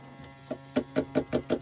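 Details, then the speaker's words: Yamaha jet ski with the jet pump removed, battery tested good and charged: sharp clicks about six times a second with no cranking. A seized engine was first suspected, but it was later found to be a bad starter. "Nothing's moving, so that tells me that most likely the engine's locked up. I'm gonna try to free it, but I'll let you guys know. But as of right now, it's either a bad starter or a weak starter."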